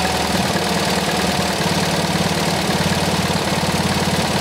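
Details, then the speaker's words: MGB with Lumenition optocoupler electronic ignition, after fixing the ignition module and reconnecting the blue, black and red connector: steady, even idle with a lumpy cam beat, no misses or stumbles; engine now runs very smooth, normal idle. "that's what I do so as you can tell the engine is now running very smooth"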